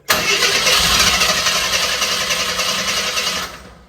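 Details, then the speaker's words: 1981 AMC Eagle sedan, fuel added into the carburetor: starter cranks steadily about three seconds, engine catches briefly and dies; no start because the carburetor float bowl hasn't filled yet, with a leaking fuel return hose. "let me give it another drink it's it's pulling it just hasn't filled the Bowl yet"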